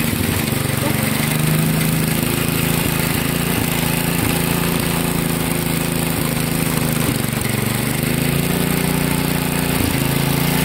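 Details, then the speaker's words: 1963 MTD Lawn Flite lawn tractor, first start after all ignition components replaced and reassembled: small single-cylinder chugs steadily at mid speed with slight hunting, no knocks; runs okay, though clutch doesn't disengage. "the clutch is not working put it in gear and it just takes off but it's running okay"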